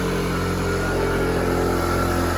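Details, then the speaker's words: Taotao 50cc two-stroke fitted with a 100cc big-bore kit, on its break-in warm-up while the new rings seat: a steady, even buzz at fast idle with no knocks or misses; running healthy. "But yeah, she's running good. She's running real good. Runs very good. Very, very good."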